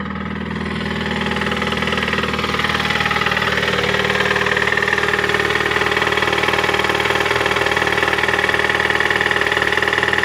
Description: Застучал двигатель 2.3л. на Мондео 4 2008 год, пробег 203 тыс.